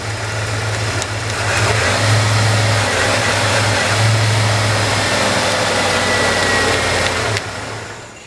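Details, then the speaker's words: 1991 Ford F-150 with idle surging and stalling, fuel pressure OK: uneven idle wavers, then the engine cuts out when the main relay is tapped, showing a failing main relay. "see how the engine's shut off when I tapped on that"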